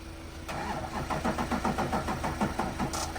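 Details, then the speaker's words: Start attempt on a truck after the trailer pickup trip; starter drags the engine over slowly, about two and a half labored turns a second, never catching; battery still too dead, jumper box probably needed. "it's still somewhat dead I feel like we should probably bring the jumper box out here for this"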